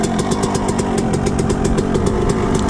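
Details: Suzuki RM125 two-stroke after engine rebuild: crisp, even popping at steady idle after high idle settled down, exhaust spitting old premix, no knock or misfire; engine runs clean and healthy.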